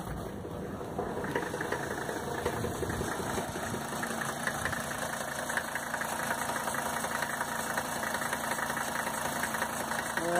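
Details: 1985 Mercedes 300TDT diesel at 500,000 km, first start after sitting outside for a year. Idle with a fast light tick about two to three times a second, possibly lifters not yet pumped up.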